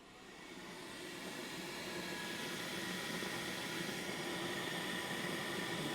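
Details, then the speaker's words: Mercedes M273 V8 secondary air injection pump at a 100,000-mile inspection, run directly on 12 V with hose removed: smooth, even electric whirr building quickly and holding steady, no grinding or bearing noise; pump passes inspection, normal operation. "look at that nice output this pump sounds fine if you hear grinding and bearing noise I recommend you change it before it fails but for this pump here it gets a pass"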